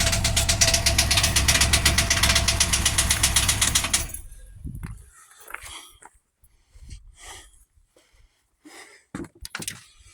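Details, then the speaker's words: Cat-eye 1-ton truck, sat a year or two with the engine broken loose, first start showing no oil pressure: rough idle with even tapping about four per second from one side's top end; a stuck or bent valve is suspected, with a dead miss on one cylinder. "I'm gonna try and pull this valve cover off, I think, and see if there's a stuck valve, because it sounds like it's on this side that there's something tapping."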